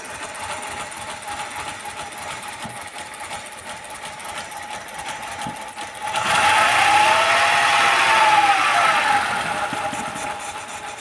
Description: Mercedes Benz w211 rough idling engine misfiring delay start